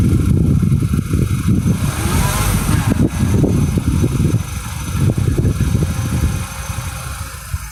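Light irregular ticks come and go over a steady idle without following engine speed; an intermittent tick whose source is still unknown.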